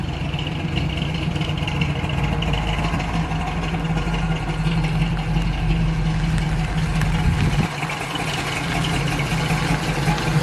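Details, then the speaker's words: Flood-damaged 1979 Chevrolet Camaro Z28 V8 after a short drive, not yet at operating temperature, slight sputter on take-off: deep, even burble with steady rhythm, no misses or knocks; good running, normal idle. "So my general impression, good running little car, stiff, which is not surprising for one of these."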